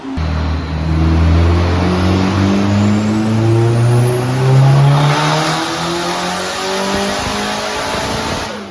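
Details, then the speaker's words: K-series-swapped Nissan S14 on a dyno after warm-up, down almost 150 whp, owner feels it isn't hitting VTEC: the engine climbs hard on the pull but goes ragged and stutters near the top, breaking up under load; cause unconfirmed. "so nick just did the first pull and the car you can very clearly audibly hear it's breaking up"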